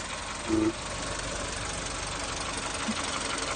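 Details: VW Polo 6N2 1.0 MP petrol engine at idle: brief, louder mid-pitched buzzing/humming rising over rough, hissy running.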